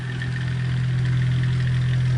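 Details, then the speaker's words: 1988 Dayton 9-inch oscillating fan, model 4C523E, new in box, on high speed; loud steady low hum with buzzing vibration. The blade is very slightly off-balance, and there is also bearing knock on high. "Here's high sound warning. Yeah, it seems to be a vibration issue with that"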